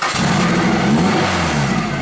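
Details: Nissan 180SX drift car, fuel pump hard-wired while diagnosing: engine revs ragged and labouring, unsteady note that doesn't clean up under throttle, stalls when given accelerator; running poorly.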